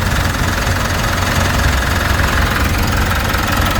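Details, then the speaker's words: 2016 Mitsubishi Montero diesel idling after replacing and tensioning both drive belts. Steady, even idle with a low rumble and no belt squeal or chirp; running smoothly, belt install good. "Iyon no, napaka-smooth no? Napaka-smooth yung andar. So wala siyang tunog na sa belt no."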